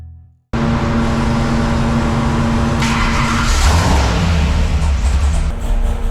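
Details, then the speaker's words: 572 cubic inch Hemi, high compression, with 34° timing, at wide-open throttle and high rpm; a loud roar with an uneven, stumbling beat: misfire under load, so timing is to be backed off to 28°. "I don't think it lies it it's misfire yeah missing like that"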